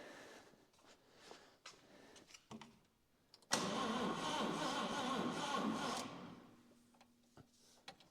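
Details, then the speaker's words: 1949 Chevrolet Deluxe 216 inline-six, 3-speed column manual, off the road since the 1980s, in a 31°F shop: even starter churn for about 2.5 seconds, engine spins over smoothly and freely but doesn't fire; normal cranking. "Cool, it does crank over."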